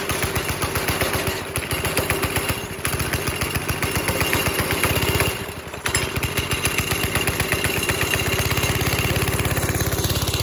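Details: NASCAR-bodied go-kart, 5.5 hp Briggs and Stratton single-cylinder, after reattaching loose throttle cable, choke off: steady thumping then clean pick-up to higher revs held; healthy throttle response after fix.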